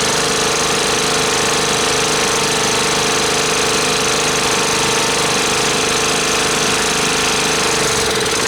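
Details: Club Car golf cart that sat in a barn 4 years after suddenly quitting first fires after fuel was checked for water and the float bowl filled: uneven, shaky chugging with tinny drone and irregular beats, rough running.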